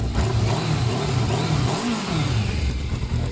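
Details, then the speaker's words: Yamaha Thundercat 600 on its old exhaust: an even, steady four-cylinder burble with a slight rise and fall in revs and no knocks or rattles. The exhaust is so quiet that mostly engine noise is heard. Normal running, healthy engine. "I'm gonna do a sound test we're gonna hear the old exhaust this one there's not really much to hear you don't really hear anything you've been hear the engine noise"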